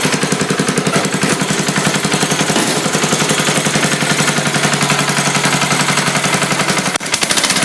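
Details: 1968 Sears hydro garden tractor after connecting rod and crankshaft replacement: sharp, very even knock at idle, about three to four raps a second, unchanged by the repair; not burning oil. Engine knock, owner suspects piston slap.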